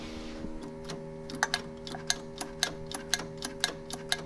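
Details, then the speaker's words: 1965 Datsun 320 being revived after 20+ years, electric fuel pump wired direct to battery: light quick ticking about twice a second over faint hum, but no fuel reaching the carburettor bowl; float possibly set too tight or fuel ran out. "Is the bowl even like filling? I should be getting something. Let me turn that off and make sure. Maybe we ran out of fuel."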